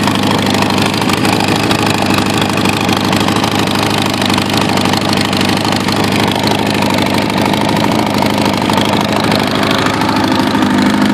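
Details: Kawasaki Ninja ZX-9R with Viper exhaust, pulled and broken after being hit by a car on the right side, idling loud and raspy with a harsh open edge from the exhaust leak.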